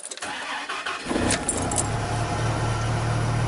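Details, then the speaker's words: 1995 Dodge Ram V10, cold, with jumper supplying the PCM 8 V reference: short crank, catches at once and settles into smooth steady idle; points to bad 8 V regulator inside PCM as cause of the no-start. "dies 5.3 volts back on that's crazy the sea fuel just fire right up"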